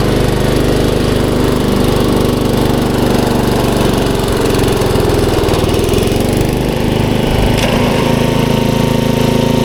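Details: 1994 Troy-Bilt 33-inch walk-behind mower, Model 34044, Briggs & Stratton engine, driving in reverse: steady, even single-cylinder beat at constant speed with no knocks or rattles. Normal running.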